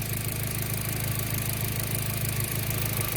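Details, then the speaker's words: B5 Passat, factory intercooler, after spliced-in ignition coil pigtails: smooth, even idle, a bit loud, no misses or stumbles; earlier idle sputter gone after ignition wiring repair. "This thing is kind of loud at the moment. But it's not missing anymore, which is good."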